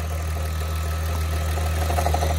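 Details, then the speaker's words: Mk3 VW VR6 12v with a Magnaflow exhaust and a new AC compressor, power steering, alternator, tensioner, water pump and belt, at idle: deep hum with faint irregular clunks seemingly inside the engine, unchanged with clutch pressed; cause unknown. "it's like inside the engine okay let me close this hood now wrap it up"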